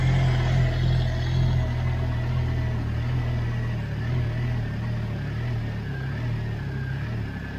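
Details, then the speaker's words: Astra just started after supercharger install: deep idle with uneven loping beat about three pulses a second, slight surging; lumpy idle, cause unknown; pump possibly not running, belt rubbing a pipe. "got a little bit of a lumpy idol not sure why"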